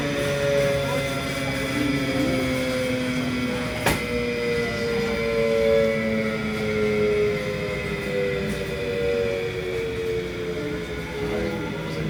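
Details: Continental-Girbau washer spinning down, electric braking restart actually speeding the drum; heavy continuous thunderous rumble with wavering tones, drum barely scrapes along by hand. Worn drum bearings dragging during spindown.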